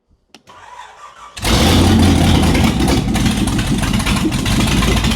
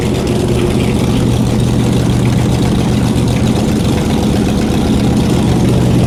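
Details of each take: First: Shelby Cobra with Ford 427 V8 first start back in the car after nearly a decade: loud unmuffled engine catches after a second and runs uneven and lumpy, won't settle to clean idle; carbs not removed from intake, suspected major vacuum leak. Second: Shelby Cobra 427 V8, first run back in the car after almost a decade, on open headers without mufflers: loud, deep, lumpy burble that holds steady without stalling; normal idle.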